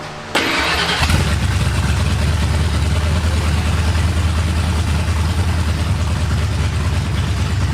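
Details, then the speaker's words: 1989 Ford F-150 V8 after tightening loose throttle-body bolts that made it run lean: starter cranks briefly, then it settles into a steady, even low rumble with no stumble or hunting; healthy idle, noticeably peppier than before. "foreign a lot more peppy than it used to be that's for sure"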